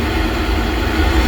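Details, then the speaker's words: Pentair Master Temp 400 heater after replacing the failed igniter: steady low burner roar, even rumble, no clicking or cutting out; ignition failure fixed, now firing and heating normally. "And there we go. It was the igniter. Well, I'm really pleased about that."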